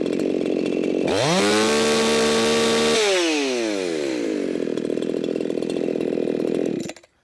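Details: Chainsaw being tuned in the cut at about 13,500 rpm: a high screaming howl with a ragged, spitting, sputtering edge, judged far too rich. Sputtering under load.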